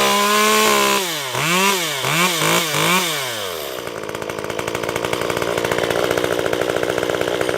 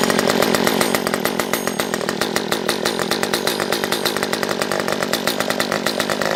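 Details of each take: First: Stihl MS194t chainsaw after fuel-issue repair, warm and cutting wood: crisp blips to full revs, then a steady slightly lower drone as the bar bites, recovering cleanly; strong, healthy saw under cutting load. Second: Stihl MS194T chainsaw, previously a no-start with fuel issues, off choke: small two-stroke buzzing with rapid, ragged popping instead of a clean run; sounds like it is sucking air, owner suspects carburettor; popping, poor running.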